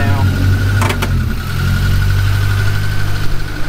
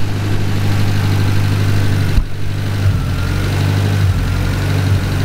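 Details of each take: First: Cushman kei mini truck with a rebuilt petrol engine, after timing and carburetor idle adjustment: steady, even idle with a smooth low hum, no misses or knocks. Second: Cushman kei mini truck small engine after rebuild, oil burning off manifold, timing pulled back: idles low and steady but dips and surges now and then; unsettled idle, idle air screw needs carburetor adjustment.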